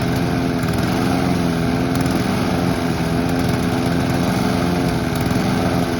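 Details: Honda or Mountfield petrol lawn mower being run dry of fuel for winterising: even, steady single-cylinder buzz at constant speed, no misfires or surging; normal running.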